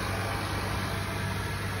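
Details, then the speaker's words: 2021 Acura RDX at idle after starting on a jump, recorded with the engine compartment open: smooth, even idle with a steady low hum and no knocks, ticks or misses; the engine sounds normal. "Got the engine compartment open on it. Engine sounds pretty good, as you can hear."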